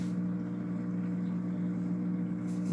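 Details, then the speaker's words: Polar Aurora four-stage canister filter with UV sterilizer, on 150 gallon aquarium: steady low hum with strong buzz around 180 Hz, louder than other canister filters, pretty noisy when plugged in. "so here's the deal the filter is a little bit louder than my other canister filters but for 70 bucks I mean you're getting a four-stage canister filter with a UV sterilizer light"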